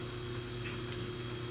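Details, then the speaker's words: Compaq LTE 5000 series laptop during a battery rebuild and calibration: a steady low groaning drone with faint tones and no speed change, as these models have funky-sounding fans. Noisy cooling fan. "i can hear the fan running by the way can you hear it kind of a groaner uh these have noisy fans well they they sound funky"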